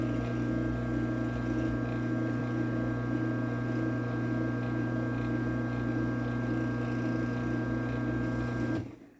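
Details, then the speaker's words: Chamberlain PD752 garage door opener run off the rail: steady, fairly quiet motor hum with a faint bearing whir underneath, running evenly until it stops. "so yeah you can hear there's a little bit of bearing noises in this one but this one is overall pretty quiet"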